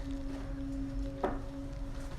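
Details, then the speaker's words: Air vent with air blowing: a constant high-pitched humming tone over low airflow rumble. The vent is felt vibrating and a hand on it affects the sound; the noise is absent when the air is off. "hi everyone not sure if you can really hear this but I have a constant and like high-pitched hum when the air is blowing out of this"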